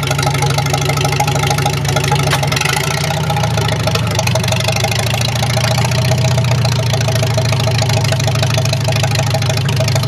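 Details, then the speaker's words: Farmall H tractor just reassembled with repaired carburetor: steady, even low-pitched idle with no knocks, misses or surging; runs pretty good, may need slight tweaking. "fires up runs pretty good I might have to do a little bit of tweaking but other than that it's all right"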